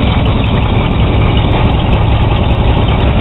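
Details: 1982 Chevy truck with warranty-replaced alternator, gauge showing 14.5 volts: deep, even rumble with no knocks, ticks or squeals, smooth steady idle; engine and charging normal.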